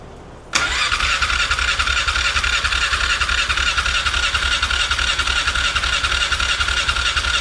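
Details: 1997 Polaris Sportsman 500 that won't run, key on, push-button start: fast steady starter churn, roughly three to four pulses a second, continuing with no sign of firing; long hard-start crank.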